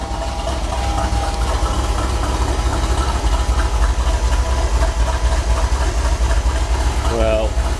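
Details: Ford F350 with 351 Cleveland V8, started after battery work during roadworthy prep: deep, steady V8 burble with an even lope at about four pulses a second; smooth, healthy idle with no knocks or misses.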